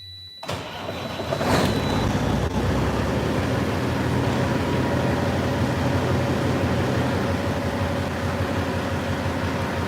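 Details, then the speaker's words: Ex-FedEx fleet diesel truck, which stumbled on the previous start. It is recranked: a brief crank, then the engine catches and settles into a steady, even low rumble. "That it it just it stumbled. I'll crank it again."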